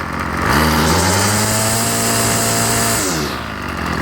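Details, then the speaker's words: Ryobi 705R 30cc two-stroke strimmer after fuel hose replacement, restarted after flooding: picks up cleanly from idle to a steady high buzz and back, normal throttle response; only a slight stutter, may need a richer idle. "i think all it was is i flooded it uh but now you can see it's idling nicely and when i throttle it"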